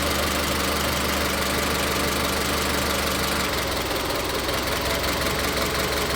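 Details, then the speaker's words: Car with individual coil-on-plug ignition and misfire: uneven, stumbling idle with irregular knocks that change as each coil connector is unplugged; misfire found on cylinder three. "Entonces, voy a arrancar el vehículo y vamos a hacer esa prueba, en este caso, con los conectores de las bobinas individuales en este vehículo que, como lo menciono, si tiene falla de encendido y aquí lo vamos a ver claro."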